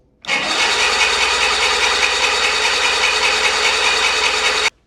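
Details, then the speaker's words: 1985 Bass Tracker outboard, sat for years, cranks with an even starter whirr but never fires; fuel confirmed, owner suspects no spark and will replace questionable connectors. "That is not good, guys. Don't sound like we're getting spark. I know we're getting fuel."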